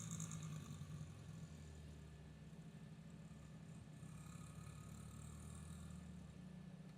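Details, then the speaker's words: Honda XR50 small single-cylinder engine after repair of a leaking head gasket that was pulling air: steady, even putter with no intake hiss or stumbling; runs fine, though the silencer is full of oil and may smoke at first. "Alright, so I got that piece of crap fixed. It runs."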